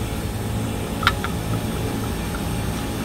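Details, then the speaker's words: Rooftop unit refrigerant circuit after leak repair and recovery, being evacuated: steady low vacuum pump drone with a single click as the valve opens and no change in tone; deep vacuum held, no leaks. "so I'm going to open this and we're going to listen to that oh man that's good that's we're in a deep vacuum right now"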